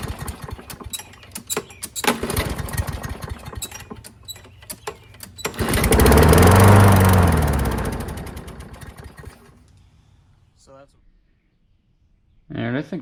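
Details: Curbside Craftsman push mower, 6.75 engine, as found: single-cylinder engine sputters and ticks, surges up loudly then dies; runs rough and can't hold speed. Carburetor looks really bad; cause not confirmed.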